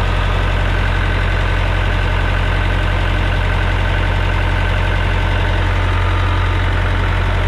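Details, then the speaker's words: John Deere 455G diesel crawler loader revved up with transmission shifted to second: steady even rumble but no drive, only neutrals; transmission suspected faulty. "well that didn't work we must have adopted a 4l60e transmission or something from an ls package because we've got nothing but neutrals"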